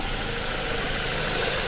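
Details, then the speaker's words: Ford Transit Connect idling after engine motor mount replacement, heard at front of engine: even, low, smooth hum with no shaking or knocking; normal idle. The transmission mount, which still shakes in gear, is to be replaced next. "yeah this is smooth there's no shaking whatsoever perfect look's good"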